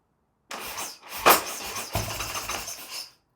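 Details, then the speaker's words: Harley-Davidson Sportster build, first start attempt three or four on choke with new choke and cleaned carb: short ragged cranking bursts with a sharp pop, no sustained firing; has compression, flames from engine, owner suspects ignition timing is off. "so now I'm thinking my timing is off so um let's double check that make sure it cranks it has compression"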